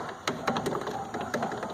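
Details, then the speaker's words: Brake caliper on a Renault Logan rocked by hand: sharp metallic clacks from a worn, loose caliper that made the car sound like failing suspension. The pads need replacing. "todo o carro tem uma barulheira parece assim o carro com a suspensão caindo pinça de freio é essa acontece"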